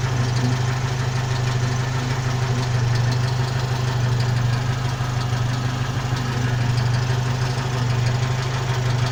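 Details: 1992 Jeep YJ at idle with a fast, loose, uneven rattle about three per second, attributed to the transfer case; rattle at idle.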